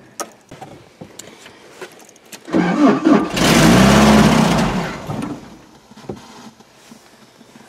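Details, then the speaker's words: 1984 Toyota SR5 pickup with carburetor, sitting about five years, cold start: starter churns in even beats for a couple of seconds without catching; no fuel being pulled from the tank. Cranking, no start from fuel starvation. "it looks like we're not pulling any fuel out of the tank so we're going to take this the return line off off the filter and blow in to see if we can pressurize the fuel and get it to come going towards the carb"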